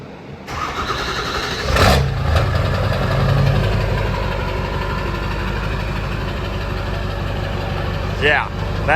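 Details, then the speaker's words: 2002 Ford F350 dually, 7.3 Powerstroke diesel, about 183,000 miles, 5-inch straight pipe with 6-inch tip, possibly cold: cranks, catches and settles into a deep steady idle rumble with no knocks; starts cleanly and runs fine. "that sounds pretty good. Yeah, that sounds pretty nice. That is the 7.3 Powerstroke."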